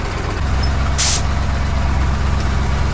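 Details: KamAZ truck idling, air dryer hissing and sneezing in short sharp bursts. Suspected causes are an over-compressed spring not pushing the valve and a restricted feed line, to be replaced with a copper tube; sneezing stopped once the hose was loosened. Air dryer purge valve sneezing.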